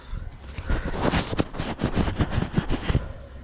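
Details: Audi/VW 2.0T after broken cam chain, reassembled with one cylinder at zero compression (likely bent valve): uneven, lumpy firing with irregular thumps and stumbles; misfiring and running rough, head work needed.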